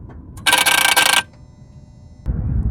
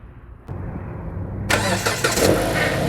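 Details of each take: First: 2014 Jeep Patriot 2.4, limp mode with lightning bolt light and U0401 communication fault; key on, engine off, mic down near the drive-by-wire throttle body: short harsh buzzing rattle then quiet, a faulty throttle body needing replacement. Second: 2014 Jeep Patriot 2.4 after throttle body replacement for limp mode (lightning bolt light, U0401 code): cranks briefly, fires, revs and settles to a steady, even idle with throttle restored; normal start and idle.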